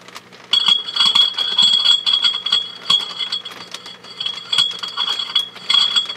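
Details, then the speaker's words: HP 400H AC voltmeter, tapping the vacuum tube shield: each tap and clink sets off a high, steady ringing tone as the valve picks up mechanical knocks; unit judged working. Microphonic vacuum tube. "okay so you can hear the microphonics in this so i would say this unit is working good"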